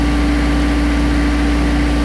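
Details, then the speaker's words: Diesel mower that used to die when the PTO was engaged, after installing a time delay relay: deep, constant drone at steady pitch with no stumbling or dying; normal idle. "that's a good sign it used to die before here we go oh yeah there it is it's working nice nice"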